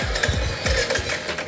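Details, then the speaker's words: Royal Enfield Hunter 350 at about 5000 km, after its second service: starter churns in uneven pulses roughly three a second but the engine never catches; runs only while throttle is given. Crank no-start, service center found faulty throttle body, replaced under warranty. "Second service के बाद से मुझे bike start करने में एक problem आ रही है। पता नहीं शायद आपको ये प्रॉब्लम आई हो नहीं आई हो। जब मैं इसको स्टार्ट करता हूँ ये आवाज़ आ रही है और ये बंद, तो ये आवाज़ आ रही है"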